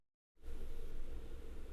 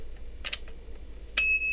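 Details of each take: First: DT830D multimeter with a long-beep fault, after the burnt SMD resistor was replaced with a 1.2 kΩ resistor: after a quiet hum, a clean continuous high beep holds steady. The continuity buzzer now works properly. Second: DT830D multimeter: after handling clicks, a steady high continuity beep with nothing connected, stopping briefly then resuming; caused by a burnt SMD resistor (132), fixed by replacing it.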